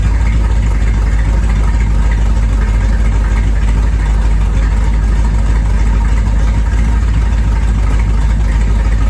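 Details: 1973 Corvette V8, first drive in 5 years: deep steady low exhaust rumble, even and unbroken; normal running.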